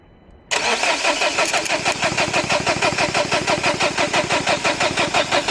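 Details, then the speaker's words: 2011 Dacia Sandero Stepway 1.5 dCi diesel, rail pressure sensor fault code, glow plug light checked: starter spins evenly about three turns a second but never catches; crank no start, injectors getting no power, crank sensor to be checked. ">> Eee, enjektörlere elektrik gelmiyor. Onu çözmeye çalışıyoruz."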